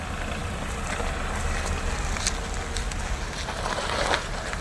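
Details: Tata Punch, one month old, moving forward: only a low steady rolling hum, no clunks, knocks or whine; abnormal noise from driver-side wheel occurs only in reverse, attributed to axle-gear shifting issue, expected fixed at first service.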